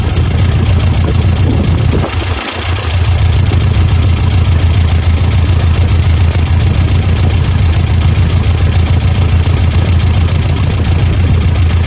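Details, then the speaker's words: 1987 Toyota Pickup 22R four-cylinder, carbureted, idling low and even with no stumble after plug check and timing adjustment, following fuel pump and homemade carb gasket replacement fixing vacuum leaks; now on all four cylinders, timing correct, idle nearly perfect. "well she is running much better so she's definitely running on all four cylinders again the timing's correct the idle is set just about perfect"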